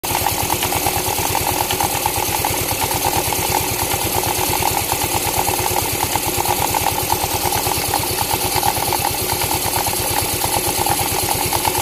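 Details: Yamaha Mio i 125 idling. A busy rattling clatter comes from the CVT side because the torque drive is very loose, and the stock torque drive is to be replaced.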